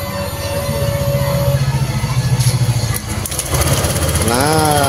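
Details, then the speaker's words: Honda Vario 150 scooter with lost ignition, after fitting a new ignition coil: fires and settles into quick even putter with clean pulses; fault was only the coil. "nah motor menyala ya motor sudah berbunyi berarti permasalahan motor ini hilang pengapian hanya pada koilnya ya kan"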